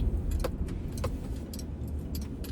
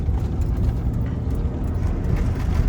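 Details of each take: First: 2000 Ford Ranger 3.0L V6 after cleaning dirty mass airflow sensor, throttle body and idle air control valve: steady, even low idle without hunting or surging, keys jingling; high idle fixed, now normal. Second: 2000 Ford Ranger 3.0L V6 idling super high with no throttle, deep drone surging and revving on its own; fixed by cleaning the dirty mass air flow sensor, throttle body and idle air control valve.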